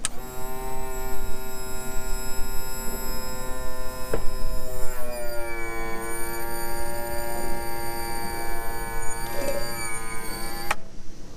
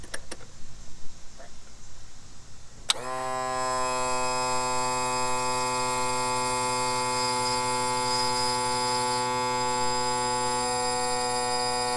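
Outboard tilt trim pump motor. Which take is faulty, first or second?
second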